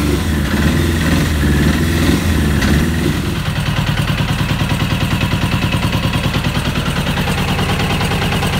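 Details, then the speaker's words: 1996 Suzuki RF900R after fuel system work, carburetors not yet cleaned: catches and runs with uneven lumpy throb about three beats a second, not holding steady idle; carburetor cleaning planned. "Finally success. Could make her fire up. She's roaring already. But yeah. It's not uh sturdy enough. stable yet. But luckily she's running."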